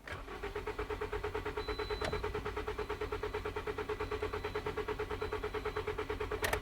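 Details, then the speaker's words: 2011 Toyota Corolla 1.8L, jump box on the battery: even starter cranking about three pulses a second with a consistent cadence, no firing; cranks but will not start, compression sounds fine. "so as you can hear the engine cranks but it doesn't start I'm going to try this one more time"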